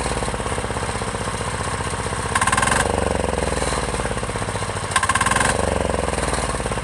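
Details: Chinese 10 hp Yanmar-clone single-cylinder diesel on its first start, freshly mounted to a frame, idling with a quick, even, steady thump and no misses or knocks; runs smoky but clean and healthy, though it vibrates the rear fenders.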